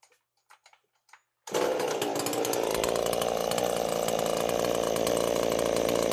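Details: Husqvarna chainsaw at idle after an oiler mod with a new oil pump, run to check the pump output at idle: it catches and settles into a steady, even high idle with a smooth buzz and no hunting, running healthy.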